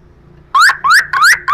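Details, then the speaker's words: Car power window fault, tester probing wiring with ground from the car body: four short rising electronic chirps, about three per second; tester confirms power and ground are present. "ada arusnya. Massanya berarti juga ada ya."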